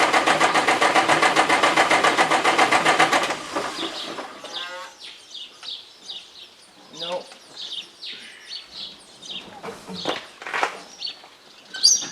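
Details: 1990 Peterbilt semi that won't start, check engine light flashing: steady starter cranking about four turns a second for three seconds with no firing; same fault two years earlier was a bad engine computer, replaced with a used one.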